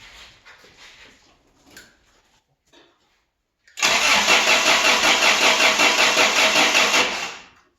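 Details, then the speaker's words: Toyota pickup barn find, automatic, sat 24 years, first start attempt: starter cranks at an even beat about three seconds but never fires; fuel pump not heard running, clicking up front, battery dying; timing suspected. "i didn't hear the fuel pump run yet i do hear some clicking going on up here you might crank it over harder there but i think we're losing that battery so let's go back"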